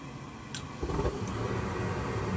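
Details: Goodman gas furnace after replacing the vent air pressure switch (previously flashing three times for an air pressure fault and not firing): soft whoomp as the burner lights, then a steady, even low rumble with no rattles or puffing; furnace burning normally.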